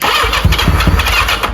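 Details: 1985 Yamaha XJ700 motorcycle, starting fluid sprayed in, little fuel: uneven cranking with a few weak firing puffs that never catch; crank no start, possibly a missing vacuum line or low fuel.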